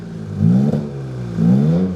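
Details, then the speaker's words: Freshly built Toyota GR Corolla no longer on D-Works injectors: two clean throttle blips, revs rise and fall smoothly; misfire count 0, D-Works injectors confirmed as the misfire cause. "0 misfires. Are you freaking kidding me right now, dude? It was the D-Works injectors the entire time."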